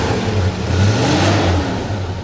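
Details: Rebuilt 460 V8 in 1979 Ford F-150 4x4, MSD ignition, 3-speed automatic, heard at rear exhaust: deep even rumble rising on light rev and settling, no knocks, ticks or rasp; normal.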